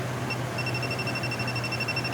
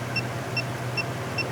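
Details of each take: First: Truck AC system after DIY repair and recharge, AC now blowing cold: handheld refrigerant leak sniffer held to the refrigerant can goes from its normal tone to rapid high-pitched beeping, about ten pulses a second over a quiet hum, showing refrigerant detected. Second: Refrigerant leak sniffer near a truck's recharged AC system before checking around the block: sharp high ticks about two and a half per second over a low hum, no refrigerant present; normal idle tone.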